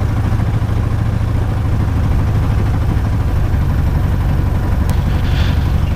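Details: Light aircraft piston engine, ground run-up after plugs cleaned: heavy, throbbing drone with lumpy tractor-like beat; rough running with vibration, no mag drop; owner believes not spark plugs this time, cause unknown.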